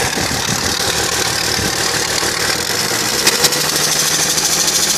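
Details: BMW 330Cd diesel at idle: light, fast ticking over a hissy background; ticking noise, cause not pinned down.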